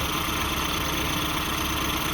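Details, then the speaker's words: 1988-97 Nissan D21 Hardbody idles smoothly after AC pulley replacement, steady engine hum with no belt squeal or chirp; previously had a nasty squeal on startup. "So we just got done testing out the hard body, making sure our pulley don't squeal, and it sounds good, man."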